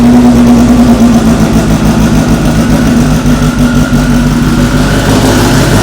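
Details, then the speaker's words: AWD Honda Civic Si (about 1000 whp) on its first start in over a year, very loud. Strong, even note settling steadily with no stumble or knock: normal idle. "All right, that first start went abnormally perfect. Just ridiculously smooth."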